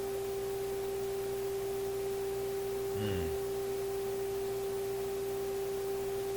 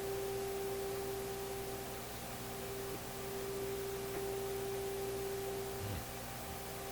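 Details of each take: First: A clean 400 Hz test tone at a constant level from an Electrohome Kalmar console stereo receiver during FM alignment. Earlier the tone and output meter surged stronger and weaker; now it holds stable with no fading. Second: Electrohome Kalmar console stereo receiver during FM alignment: steady test tone over hiss that gets stronger and weaker with the meter jumping; intermittent signal fade, cause unknown, later somewhat more stable.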